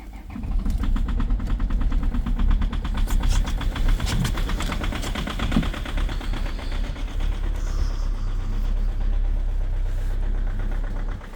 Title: COLD START diesel at -7,5°C with a very strong knocking sound, egr off 2.0 hdi #rybin